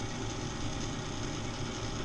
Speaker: moment of truth. The moment of truth. Oh, look, the motor's going too.